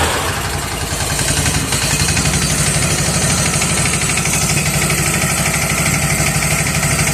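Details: Bad Boy mower engine catches on choke after its ignition coil was replaced, settling into a steady, quick, slightly noisy single-cylinder beat; it smokes and its oil is very black. Coil confirmed as the no-start cause; running normally.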